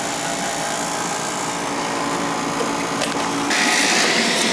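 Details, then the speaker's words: Older oil furnace power venter (motor replaced about 7 years ago, last serviced about 3 years ago), rough buzzing motor whir with rattling edge growing harsher; vibration noise, suspected bad motor fan, blade found gone inside and rotted, venter replaced. "Definitely making some noise there. We're gonna go check out why. Got a vibration. Up in that power venter."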